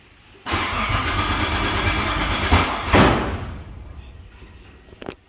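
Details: 1994 Mitsubishi 3000GT VR-4 converted from waste spark to coil-on-plug on AEM v2, coil phasing not changed: cranks and catches roughly with uneven chuffing, then a sharp bang; backfire from wrong ignition timing.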